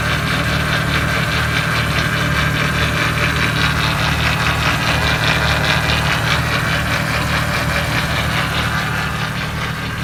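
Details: 1998 Jeep Wrangler, AX-15 transmission, transfer case in neutral: in reverse the Jeep moves, but a steady engine drone carries a gritty, whirring grind that swells mid-clip; shifts into other gears fine.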